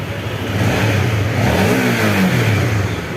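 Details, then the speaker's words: Honda CB150R after repairing a broken ECU wire in the TPS circuit (MIL 8 blink code gone), battery jumped: revs up cleanly and settles without stumble or cut-out; normal running after repair. "Coba di starter lagi, Mas. Ya. Ini jalan ya, teman-teman. Ini sudah normal"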